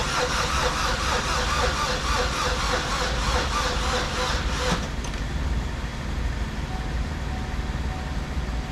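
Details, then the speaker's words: 2012 Chevy Cruze with the engine just installed, with the battery suspected weak: steady starter cranking at about four beats a second for nearly five seconds, then it stops without catching; the cranking has become easier. "Well, I think I'm gonna call it quits for tonight. I might go get a battery tomorrow. The cranking definitely got easier, makes me feel better."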